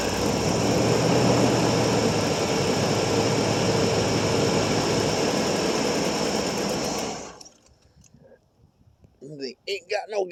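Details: 1989 Pontiac Safari wagon off the road 18 years after a deer hit, cold start, plugged tailpipe just cleared: steady starter churn about four turns a second for seven seconds, never catches; suspected mechanical fuel pump not working.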